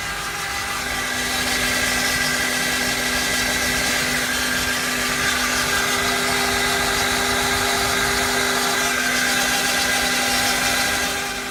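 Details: 2003 Honda Accord 4-cylinder with 120k miles, idling with a loud, steady whine of constant pitch and a hiss on top; source in the engine bay not pinned down.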